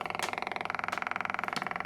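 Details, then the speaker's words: Cheap projector with no power, fed a confirmed 12 V from its adapter: fast regular ticking, about sixteen pulses a second, with a thin buzzing tone and no fan spin-up; the light flashes and it never starts. "and the light flashes and that's it nothing else happens"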